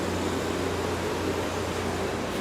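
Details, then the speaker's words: Friedrich Quietmaster 9,000 BTU air conditioner at its 2020 summer startup, running on medium cool: even, steady low compressor hum under constant fan rush, no rattles or cycling; normal compressor running. "She's running good. There's your compressor sound."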